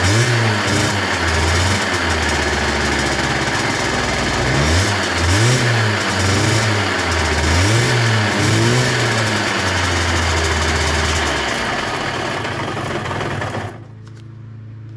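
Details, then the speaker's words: KSR moped with AM6 two-stroke engine, bottom-end noise while revving after repair: rough, rattly undertone rising and falling with revs; mechanic suspects the bearings need replacing. "ale powiem naprawdę hałasuję ten silniczek Nie podoba mi się sam będą łożyska do roboty"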